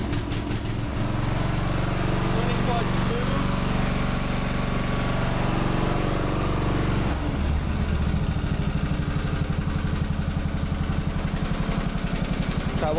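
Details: MTD Lawnflite 548 lawn tractor under restoration, after rewiring and a new hose: the small engine settles into a steady, even chug at constant speed after a brief change. Sounds healthy.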